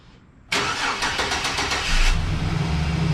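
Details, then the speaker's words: 2011 GMC Sierra 1500, battery just hooked up; short crank then catches and settles into a quiet, steady, even idle with a faint squeaky belt chirp; normal idle, belt needs replacing. "Sil that's quiet what do you think looks nice sounds all right huh nice and quiet let this thing run for a minute"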